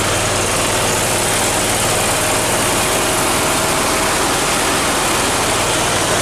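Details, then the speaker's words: Briggs & Stratton Vanguard 37 hp EFI V-twin after repair, with the fault light no longer on: a loud, steady, even engine note with no misses or surges, running smooth, unlike before. "okay you can see that that runs a whole lot better that sounds a lot better doesn't even sound like the same engine running"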